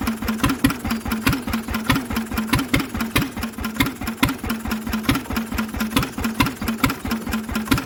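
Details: Lister engine on its first start in 40 years, cooling tank fitted, running on a little choke: crisp, even single-cylinder beat about 140 a minute with clean firing and no big-end knock; mechanically it sounds lovely.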